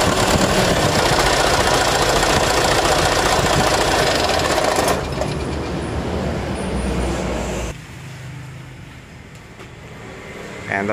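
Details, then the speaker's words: Mitsubishi Canter HDL 136 refrigerated box truck diesel with a rough, shaking idle; coarse, unsteady clatter with shifting level; suspected, then found, broken injection pump timer, fragments reaching the oil pan. "Suaranya kayak kena ini Ya kemungkinan timer bospnya"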